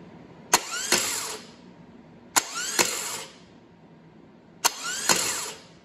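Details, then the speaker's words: Known-good aircooled VW starter bench-tested on 12 volts in an engine stand bell housing, no engine fitted: sharp clack as the pinion throws out, quick rising whir, clean spin-down; healthy, normal starter engagement. "so that gives you an idea what a healthy one sounds like and looks like"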